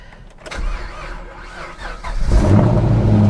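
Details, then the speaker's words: 120,000-mile salvage-auction car, parked in neutral with e-brake on, dash full of warning lights (traction, stability, ABS, tire pressure) likely from front passenger-side damage: starter catches and engine fires into a steady, even idle with no knocks; normal, healthy start. "good yeah she sounds nice healthy real healthy"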